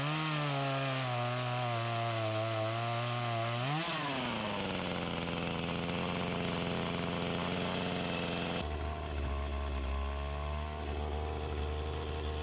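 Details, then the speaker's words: Echo CS-352 chainsaw with a start-then-die complaint, before repair, under cutting load: screams up, then the pitch sags hard and stays low and labouring; starving for fuel despite the mixture screws adjusted to max, fuel line or carburetor suspected. "this isn't getting the gas that it needs it's lacking the power I adjusted the screws to the max and wasn't doing anything you could see how it was bogging down"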